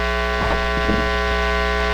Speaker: in the united states our electrical outlets cycle at 60 hertz and if you hear this tone you're probably experiencing 60 cycle hum